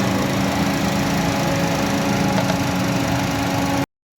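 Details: Suzuki 800–1000 cc Japanese automatic with engine light and no pickup: steady idle with an uneven stumbling beat and occasional dropped pulses; misfire, spark plugs being checked.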